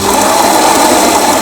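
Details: Grinder on a used 2022 Lelit Anita coffee machine, grind being adjusted: loud steady motor whir with even mid-pitched hum, no catching or labouring; running cleanly.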